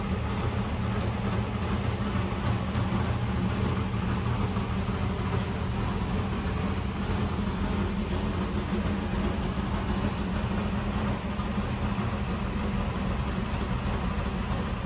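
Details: 1964 Corvette vintage race car with a new engine at its first fire-up. Deep, steady V8 idle with an even, unbroken beat and no knocks or misses: normal idle.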